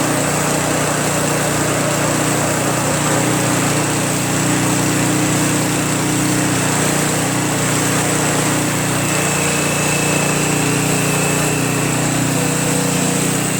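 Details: Craftsman Trac Plus 23-inch dual-stage snowblower, 5 HP Tecumseh single-cylinder, cold start after a year stored without stabilizer, fresh gas, full choke: steady even buzz at constant speed, no misses or knocks; healthy idle.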